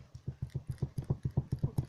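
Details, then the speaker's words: Citroën C4 hatchback, knock from the rear of the cabin: dull, hollow low-pitched knocks in a quick even run, about seven a second; probably a loose rear seat mounting bracket. "по-моему нашел я звук который исходит задней части вот слушайте идет отсюда есть это скоба этот звук это похоже крепление самой сидушки"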